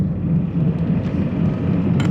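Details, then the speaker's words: Honda Fit driving at moderate speed: low constant rumble under road noise, no knocks; owner suspects a bad wheel bearing or a flat-spotted tire; no codes; front wheel bearing was replaced. "please sounds a little rough [Music] like might have like a better wheel bearing or have a flat spot or um a bit wheel or something makes work okay"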